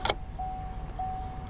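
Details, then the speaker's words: 2017 Silverado no-crank with Service Theft Deterrent message: after unplugging a corroded, water-soaked connector, a clear high chime pulses about every 0.6 seconds as communication is restored; cause suspected, not confirmed. "And can hear the the dinger going off. So we've definitely changed something"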